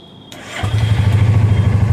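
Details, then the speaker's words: Royal Enfield Classic Reborn single after timing chain set and piston/block refitted for smoke problem: starter whirs, catches on first self-start and settles into an even, steady low thump. "एक ही self में गाड़ी start हो चुकी है और इसका sound सुनिए आप"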